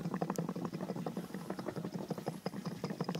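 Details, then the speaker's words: Old hydraulic engine mount from a Mercedes W124, completely failed and letting the engine shake, heard removed and shaken: rapid wet sloshing and gurgling of its damping fluid inside. "considerate che questo è questo e il supporto motore vecchio e ve ne accorgete perché il liquido che dovrebbe che dovrebbe ammortizzare il motore fa rumore dentro sentite"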